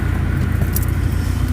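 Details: Honda H23A VTEC petrol engine with deep steady low rumble from a broken exhaust flex pipe leaking; engine still pulls strongly.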